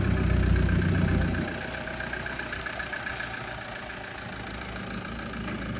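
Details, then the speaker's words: Toyota 1KD-FTV diesel freshly swapped into an LN106 Hilux, restarted after refilling: loud at first, then an even clatter about four beats a second while warming up, before coolant bleeding; a normal, healthy idle. "it's odd hearing this noise from this old car"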